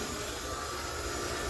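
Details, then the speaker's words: Water well jet pump after pressure switch replacement, powered on with no pressure; steady rushing hum with faint high tone and no water surge, running unprimed, about to be shut off and primed. "so we got to prime it take a flathead screwdriver and just take it in there and disconnect that to where it stops running and we'll get ready to prime it"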